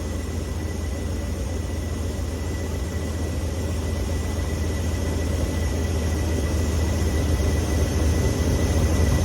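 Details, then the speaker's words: Ford F600 truck with Holley 4412S two-barrel carburetor, idle lowered during tuneup: deep rumble with uneven lope and bobble every few beats as air/idle mixture screw is turned in too far; backed off until it stops. "Did you hear it bobble? Back it off till it stops. Let's turn it the other way a little bit. Check it out. Bobbling right there."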